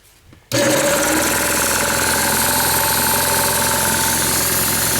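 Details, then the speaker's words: Old oilless diaphragm sprayer compressor: starts abruptly into a steady fast chatter that holds level without cycling off. It has no regulator or pressure switch, so it runs continuously and vents air once at pressure; normal operation. "It doesn't have a regulator that starts it and stops it and dumps the valve. What it does is once it gets up to whatever the pressure is, it just goes blowing out of here and stays running."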